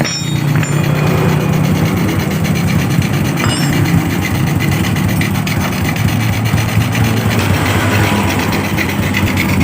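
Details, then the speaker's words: Honda Revo Absolute engine just rebuilt, carburetor running without air filter: single-cylinder idling with a steady, even putter and some intake hiss on top, no knocks; running normally. "Baiklah, kondisi motor ini sudah normal, sudah menyala dengan normal."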